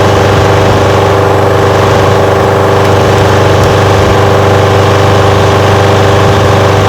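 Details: Old curbside Craftsman push mower with Briggs single-cylinder engine, just revived, smoking a little: settles into a steady, even putter with no misses or surging; running smoothly, normal.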